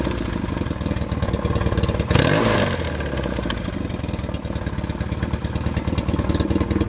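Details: 1979 Yamaha XS650 twin freshly reassembled after engine repair, mixture screws not yet finally adjusted: steady loping idle with one brief throttle blip, settling back evenly without knocks; normal idle.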